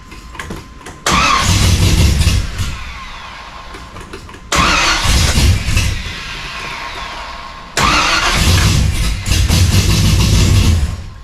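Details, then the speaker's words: Engine cranks three times and catches, settling into a slightly uneven ticking idle. The cause is thought to be one lifter that bled down, and the underside was found fine after a suspected crossed plug wire was checked. "Alright guys, everything was good under there. I think it was just one of the lifters must have bled down."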